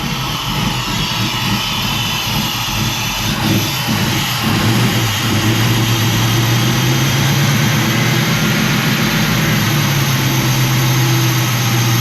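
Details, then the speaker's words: Engine with ACES Killshot timing control and distributor ignition, idle running super rich and flooding, idle speed set by temperature: idle climbs, hangs high and wavers, slow to decay; hunting for idle, cause suspected (Killshot), not confirmed. "whyatt wants to idle so high all the time I I don't know about that either I did adjust you know idle speed by temperature so when it comes up the temperature it shouldn't be doing that it takes forever to Decay off"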